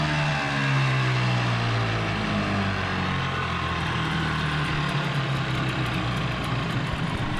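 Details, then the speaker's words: 15 hp Mariner outboard, sat over 2 years, after carburettor clean and warm-up: uneven wandering idle with hunting pitch; runs rough, owner suspects gearbox housing problem. "There's something going on with the housing. Definitely doesn't run smooth."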